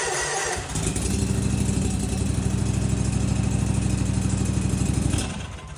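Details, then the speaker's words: Snapper zero-turn mower after bypass rewiring of faulty safety-switch wiring, running without an air filter: engine catches and settles into a steady, even note with no misses or knocks; running smoothly. "she's purring like a kitten."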